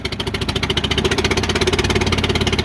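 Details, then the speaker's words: International Harvester McCormick 64 pull-type combine engine, first start after purchase: steady, even firing at a brisk idle with regular beats, no misses or knocks, oil pressure present; healthy normal idle. "Oh, it sounds good. It's got oil pressure too."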